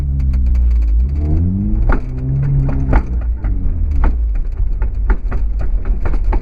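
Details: 2008 Honda Accord coupe with BC BR coilovers installed about 8–9 months ago: sharp, uneven clunks about once a second from the rear coilovers since day one. End links, sway bar, bushings, top nut and mounting bolts were ruled out.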